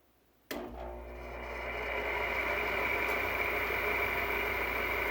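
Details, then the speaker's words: 2003 Frigidaire (Electrolux) air conditioner, unused over four years, run on high: steady loud rush with a thin whine on top, noisy as always, maybe worn fan motor bearings (suspected); it also cools only slightly, low on refrigerant. "just as noisy as it always was which is why i hated this thing so much"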